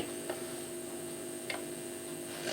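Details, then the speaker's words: Philips NG 5159 valve record player with BSR deck, volume up and stylus touched: quiet steady hum through speaker with a few sharp crackles about a second apart. "There is some slight humming there, but then and a few crackles."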